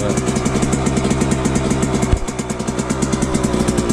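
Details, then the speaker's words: Suzuki RM125 two-stroke after engine rebuild, choke off: fast, busy idle with quick popping beat held well above normal, slowly dropping; high idle after every start, cause unknown. "Alright, the choke isn't on, but for some reason every time I start it, it idles really high, then it eventually goes down."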